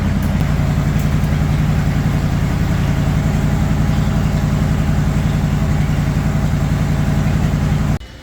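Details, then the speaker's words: Yellow wide-gauge Bombardier warming up before its third test run, after new transmission mounts, a brake caliper adjustment and reinforcement work: steady, even low rumble at constant idle with no misses, knocks or ticks; normal warm-up. "So Dad's got it started up. We're going to let it warm up, and then we're going to move it out."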